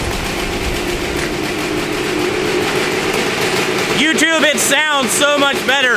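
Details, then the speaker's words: Honda 250R two-stroke with a 390PV CEO motor, after richening the mixture (it was ratty before): steady crisp idle, then sharp clean blips rising and falling quickly with no stumbling; normal running. "better since we richened that thing up. Before, it was real ratty."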